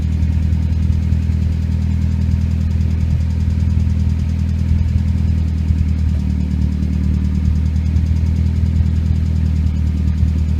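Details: Nissan CA18DET (RS13U) after cold start: steady idle with a faint light ticking over the engine hum that disappears once warm; owner suspects hydraulic lifters, but the source is unconfirmed.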